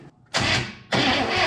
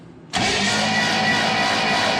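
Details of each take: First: 1967 Chevrolet Impala, 283 V8, Powerglide, sitting since 2005: starter cranks in two bursts with an even churn but never catches; no spark because the ignition points are stuck open, not opening and closing. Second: 1967 Chevrolet Impala, 283 V8, Powerglide, sitting since 2005, after fitting a new bench-tested starter, spark plugs out: even, steady starter spin for about three seconds, no grinding or clicking; healthy cranking, engine turning freely.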